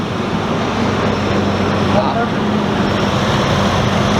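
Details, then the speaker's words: 1999 Ford Explorer after replacing the serpentine belt, tensioner and idler pulley: a steady even idle with no chirp or squeal; the accessory drive sounds healthy. "sounds a whole lot better not squealing at all well good both courts for me"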